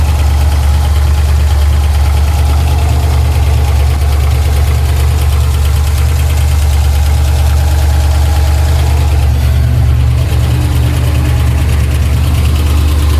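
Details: Pontiac TransAm, Sept 2016: loud rough idle with a deep knock of about three beats a second; an earlier ticking first thought to be exhaust has turned deeper and seems to come from all around the engine, not the top. Owner fears a major part, perhaps the crank, and oil pressure is erratic.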